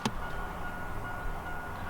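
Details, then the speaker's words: 1987 Oldsmobile Cutlass G-body, non-running car being revived: with key in ignition a faint thin high-pitched ding over quiet background, stops when key removed; interior lights dead; key-in-ignition warning chime working but very weak. "Very, very faintly. Interior lights don't work. Yep, pull the key out and you can hear that the chime goes away."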